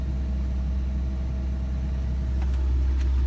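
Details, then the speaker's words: Ford Ranger with HVAC on, after a quick throttle jab the engine hangs at a steady elevated drone with foot off the pedal and doesn't drop back; high idle, cause unconfirmed. "I gave it a quick jab with a gas real quick and then it hung her so again foot is off the gas pedal and she is just hanging there"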